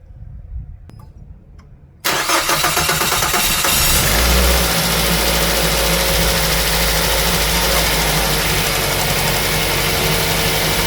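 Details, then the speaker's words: 2005 Mazda 3 2.0L 4-cylinder, 5-speed manual, just after removing and manually cleaning all four injectors for random misfire; cranks briefly, catches cleanly, settles into smooth even idle with no stumble; running fine, no misfire. "okay guys guys running fine no any misfiring all good"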